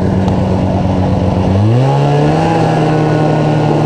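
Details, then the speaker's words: 1981 Moto-Ski Mirage snowmobile, 377 fan-cooled Rotax two-stroke, first ride on snow in over five years after carb cleaning, new fuel lines and exhaust gaskets: crisp, even buzz climbing smoothly when revved, steady firing without misses; normal running. "she ain't missing a beat engine wise not that carb all cleaned up got those new fuel lines in there so she's not spitting fuel everywhere"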